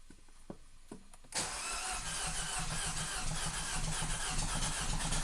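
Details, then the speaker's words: 2012 Mini Cooper S Countryman with a several-cylinder misfire, before catalytic converter declogging: starter clicks, then it catches and runs with an uneven, lumpy pulse about four per second and barely stays running; clogged cat suspected, not confirmed. "But this will show you how bad the misfire is, and then when I do the cat declogging, I'll be able to have a comparison and we'll see how much better or worse it sounds."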